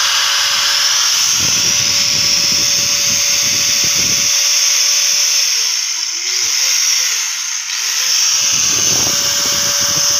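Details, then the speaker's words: Angle grinder reassembled after replacing a broken bearing, plugged in and tested: steady high even whine with smooth hiss, slight dip midway, no grinding or rattle; repair successful, bearings healthy. "okay successful na mga loads, mga master."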